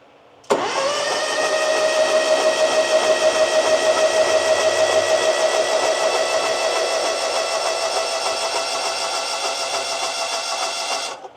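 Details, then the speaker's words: Push mower that sat unused for years, after cleaning debris out: engine catches at once and holds a steady, even beat for ten seconds before shutting off; runs smooth and healthy, before new spark plugs fitted. "All right. Well, that's definitely a lot better."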